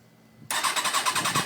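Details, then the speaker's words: 2004 ZX-10R that suddenly stopped starting after sitting a couple of hours: quick, even starter pulses but it never fires. No fuel pump prime, butterfly valves don't open, servo eliminator fitted; the owner rules out the tip-over, kickstand and run switches. "And it just won't turn over."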